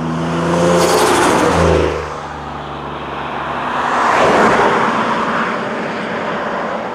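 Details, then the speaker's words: Single-turbo 370Z Nismo on a road drive after an exhaust-leak repair, on a hot day near 100 degrees. The engine note swells and fades through the gears, clean, with no ticking or puffing. Normal exhaust note, no leaks. "so i think it's safe to say that she's nice and healthy sounds good looks good"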